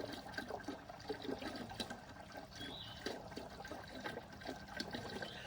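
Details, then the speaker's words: DIY off-grid well, treated with vinegar and citric acid, pumped nearly dry: irregular gurgling and sputtering in the outflow with bubbles instead of a steady stream. The pump is drawing air as the well runs out. "But regardless, it's not like it's just flowing, like you can hear it's towards the end. Gurgle, gurgle, gurgle, and I can see water bubbles coming up here."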